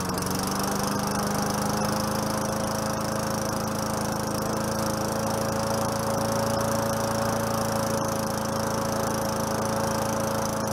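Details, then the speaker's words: 4.5 HP Tecumseh Craftsman push mower, first run after about 3 years sitting, carburetor leaking fuel and a little smoky. Even, steady single-cylinder drone holding one pitch without stumbles or surging; normal running. "I'll let it sit there for a minute and see she's a little smoky smoky she hadn't run in a while too so that's all righ"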